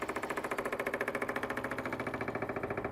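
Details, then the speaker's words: 1986 Chevy K10 short-bed pickup that sat for years, newly wired electric fuel pump switched on before starting to check for leaks: quick, even click-clack ticking about three and a half per second with a light buzz; normal fuel pump operation. "now let's go ahead and turn a pump on see if we have any leaks a little click clack pump"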